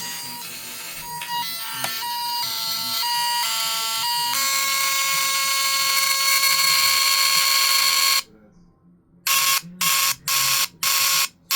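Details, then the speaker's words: Newly bought RC horn sound module, button pressed and held to cycle patterns: harsh buzzy horn tones all smeared with hiss and crackle; badly distorted, speaker or module suspected, not confirmed. "And listen to that static. Like that's not even acceptable in my opinion."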